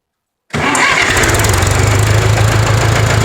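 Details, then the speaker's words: Circa 1969-70 John Deere JD 400 tractor, sat in a field for years, starting after sludge cleanout. Brief crank, then it catches at once and settles into an even, steady idle; engine sounds healthy. "pull it back idle sounds real good in there it really does the engine the engine sounds healthy"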